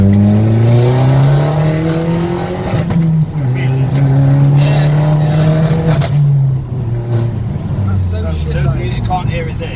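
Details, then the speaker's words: Vauxhall VXR driving, stuttering under high boost pressure: engine note rises under load then breaks up and drops out in uneven stumbles; boost stutter. "I still have Boost but it's when it's on high boost pressure so uh what we going to do now take you through that just show you what it sounds"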